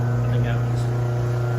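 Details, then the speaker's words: Mother's garage door opener grinding when opening or closing after a loud bang and the door dropping partway: steady low motor drone with coarse buzzing edge, the chain loosened and jumped off its track. "it seems like somehow the chain got loose and got off the tracks and uh that's what happened"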